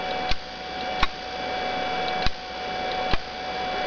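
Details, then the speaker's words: CNC controller relay board test: outputs driving spindle and flood (vacuum) relays toggled on command, four crisp single clicks over faint steady hum; relays switching cleanly, working normally. "Si j'appuie sur spindle toggle, hop, ça décolle, et flood toggle aussi. Donc on entend le clic-clac du"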